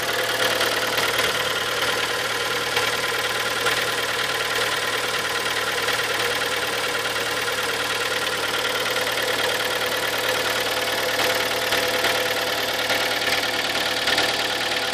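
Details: Kia Sportage, 43,000 km, 4.5 years old, Shell Helix Ultra 5W40: light, uneven ticking knock about three per second over a steady idle with hiss; engine knock of unknown origin.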